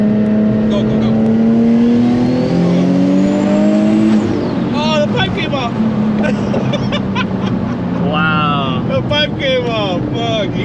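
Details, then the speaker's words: 800+ whp single-turbo 350Z on a street-tuning pull with timing added: hard pull climbs in pitch, then a sudden drop near four seconds and flat, gutless revs, no boost. "you hear it? Yeah. No boost. Son of a bitch."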